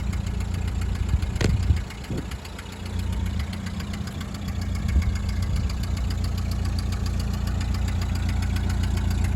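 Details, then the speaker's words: 1929 Ford Model A coupe, start-up: engine settles into a lumpy idle with a steady ticking puff on each pulse from a known exhaust leak, to be repaired. "another thing that i'm going to point out is that this car has got an exhaust leak which is also going to be addressed it will not have that when this car is ready to go"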